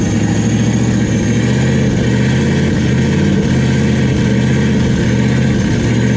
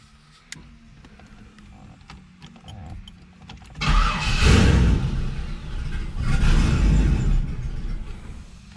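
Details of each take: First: Turbo LS V8 Camaro, first start with rigged oil feed and return, no cold side yet, throttle zip-tied on temporarily: loud, steady, deep rumble at even revs with no knocks or misses; running normally, some smoke from oil spilled on the headers burning off. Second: Turbo LS Camaro on a first start attempt, with turbo oil lines hooked up but the turbo not bolted down and no cold side: two cranking bursts with a steady chug of about four per second, no catch; owner suspects it needs throttle and temporarily reconnects the throttle.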